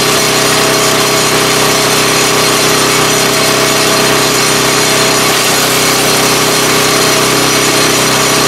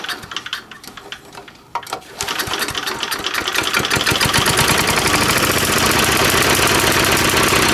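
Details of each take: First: 3.5 HP Tecumseh engine after tuning the main jet screw, driving a wood chipper. A steady, busy engine note holds speed while wood feeds through, with no surging or misfire. Normal running under load. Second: 3.5 HP Tecumseh single-cylinder engine, no throttle control, during tune-up: catches, stumbles unevenly for a couple of seconds, then fires rapidly and stalls; owner suspects too little fuel and adjusts the carburetor main jet screw.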